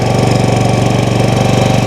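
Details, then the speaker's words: Predator 5000 generator, third unit, zero hours, charging power stations: loud, fast, evenly spaced beats ramping up and holding steady, no misses or knocks; engine pulling load normally. "So um let's go ahead and plug in our power so we can charge up our power stations. And you can hear it ramp up."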